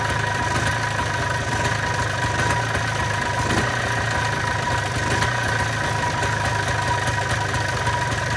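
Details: 1995 Polaris Trail Boss 250 two-stroke after replacing old spark plug, on choke: steady even idle with buzzy crackle, no stumbling or backfires; running cleanly now.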